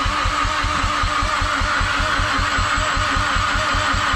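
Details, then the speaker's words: Mazdaspeed6 cranking after programming a new PCM and two keys: steady starter churning with an occasional uneven pulse every few revolutions, almost kicking but a half step off; crank, no start. "Starting to crank again, and we noticed like how it's been doing that well, now it's getting like every few revolutions it's doing like a so it like almost sounds like it wants to kick, but it's like a half step off."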